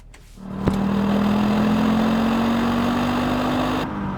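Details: Audi Quattro after fuel pump replacement and new 300 PSI fuel hose, no leaks seen: catches quickly and settles into a smooth, steady idle hum with no stumble or misfire; normal idle.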